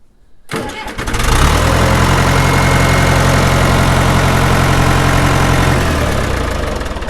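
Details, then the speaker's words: John Deere 2030 diesel tractor, oil changed with no water found despite seller's claim of water in oil, possible new water pump: short crank, then it catches at once and settles into a steady, even clatter with no misfire, a normal start and idle. "See, it fires right up. Sounds good, so I don't know."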